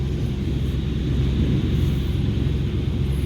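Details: ERV blower above offices, heavy steady low rumble from slight bearing wear, misaligned loose belts and debris in the blower wheel, shaking offices below: blower vibration noise.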